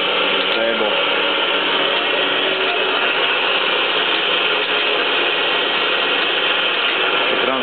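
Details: 3B71M (3G71) surface grinder after repair, new hydraulic cylinder rod: table traverses under hydraulic drive with steady even whir and hiss, smooth even at low speed, no oil leaks.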